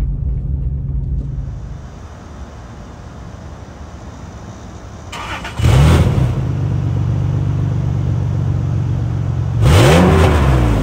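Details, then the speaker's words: 2001 Isuzu VehiCROSS: two hard throttle blips rise sharply in pitch over a steady idle, with a raspy blatty edge on each rev; known exhaust leak makes it noisy. "it does have an exhaust leak i got to get thick so it's kind of noisy"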